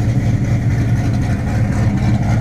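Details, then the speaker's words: Deep, steady V8 idle rumble with a smooth, even beat and no ticks or knocks; healthy. Played as a joke: it is the Midnight Special running, not the non-starting project car, whose real fault was in the ignition. "holy crap guys she's running it was only a fuse this whole time I just popped a new you if cool fire up and then there she was"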